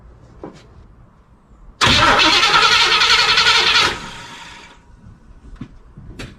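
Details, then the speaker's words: 1976 Chevy Cheyenne C10 4x4 pulled from the bush, fuel line disconnected before the carburetor to test the pump: about two seconds of steady cranking, no fuel delivered, never catches; fuel pump not functioning. "Anything? I think we can safely say that the fuel pump is not functioning."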